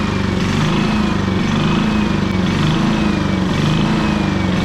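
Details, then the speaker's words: 11-year-old Champion generator, small single-cylinder, started on choke after a carburetor cleaning: the idle still surges, rising and falling about once a second. The cleaning did not help, though a carb cleaning fixed the same problem in 2018. "All that messing around for nothing. It did not help at all."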